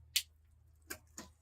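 A few crisp, light clicks as the chain steps down one cog, then quiet pedalling with no rattle or chatter; clean shift.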